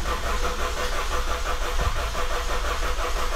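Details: 2000 Honda CR-V after head reassembly and oil pan work, distributor disconnected so it won't start, cranking to build oil pressure until oil light goes off: steady, even chug about three beats a second, no grinding; normal starter cranking.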